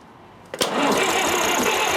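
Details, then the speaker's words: 70-year-old International 275 diesel tractor with refitted injectors, hard cold starter; quiet then a cough and ragged uneven run-up as injectors begin delivering and smoking, while the starter slows on a tiring battery. "now I can hear the starter slowing up so I'm going to rather than hammering the battery I'm going to put the charger on the battery for a short while"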